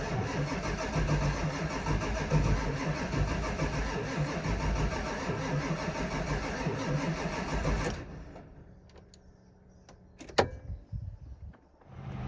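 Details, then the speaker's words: Ford F550 7.3L Powerstroke diesel, batteries charged, on a scan tool: steady cranking at about three compressions a second for eight seconds, never catching. ICP over 2,200 psi while cranking and IPR duty cycle only about 35%. Owner suspects a bad IPR valve or non-firing injectors. "All right, so if you watch the ICP, you see we got well up over 2,200 pounds of pressure in there while cranking, and I wasn't expecting it to even be anywhere near that high."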